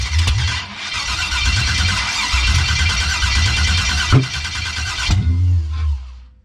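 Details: 1989 Chevy that cranks but won't start. Already done: new external fuel pressure regulator, fuel filter, return line and starter; cam sensor wires and coil pack harnesses swapped. The starter cranks steadily for several seconds with a few stumbles, never fires, and the lines are dry.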